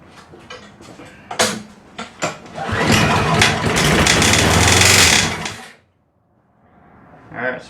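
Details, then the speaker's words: MTD lawnmower pull-started: harsh, loud metal-on-metal grinding racket for a few seconds before shutdown; something rubbing metal inside, cause still under investigation. "the symptom I'm having here when I try and start it as it's making a really loud racket like something's grinding metal on metal"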